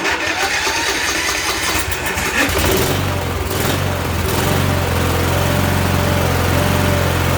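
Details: Troy-Bilt riding mower with Kohler Courage engine, previously turned over but wouldn't start, fixed by disabling the carburetor solenoid: cranks briefly, catches at about two and a half seconds, then steady even single-cylinder idle with no misses.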